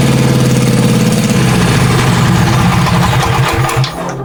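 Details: Wheel Horse C-175 mower ("Crusty Rusty") brought back to life: engine catches straight away and settles into steady, even beat with no knocks or misses; running healthy.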